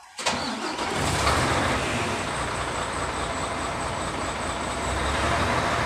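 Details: Mercedes-Benz Actros with hard-start problem, after replacing worn pump with damaged rotor and priming fuel: engine catches right away into steady, even diesel idle; starts cleanly after repair.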